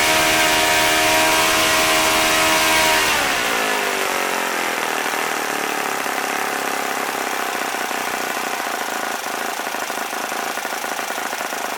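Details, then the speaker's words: OS FS-40 Surpass four-stroke glow engine, first run after new bearings and full clean, Enya No. 3 plug, 11x6 prop: high buzz drops once then holds steady and even, no sag or sputter; about 9,400–9,500 rpm. Healthy running. "I'd say overall it's not a bad little engine seems to run pretty well"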